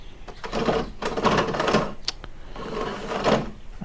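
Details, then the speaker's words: Toro Recycler self-propelled mower with no self-propel, wheel spun by hand on the mower: rapid dry clicking in bursts rising and fading with each spin; drive wheel suspected over gears, not confirmed. "yeah it doesn't sound good at all i think we might have found the culprit but is it the gears or the wheel i think it's the wheel"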